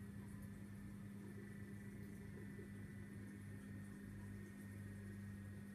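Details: Vortech MP10 quiet-drive pump after a month of use: constant low drone with a thin steady whine, rough like a new diesel engine, far noisier than a supposedly quiet drive motor should be.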